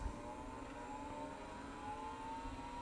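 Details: Commodore PC10-II RLL hard drive after the lid was opened, platters checked and found silent when turned by hand: thin whine climbs slowly and evenly to speed with no scraping or knocking; clean normal spin-up.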